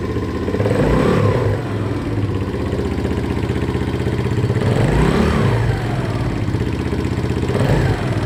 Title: Стук клапанов